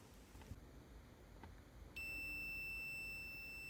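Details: Multimeter continuity test on a reassembled, cleaned computer mouse left-click micro-switch, about 0.1 ohms closed, checking the switch click lines up with the beep; quiet, then a clean steady high beep holds, showing continuity.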